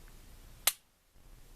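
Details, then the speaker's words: Springfield XD 9mm with Powder River Precision trigger kit being fitted and stoned, gun cocked: one sharp, crisp snap as the trigger breaks with no over-travel and no rattle afterward, though slight sponginess remains; a clean break. "no over travel you want to basically get this trigger to where you have to pull it a little bit harder to get the trigger to fall"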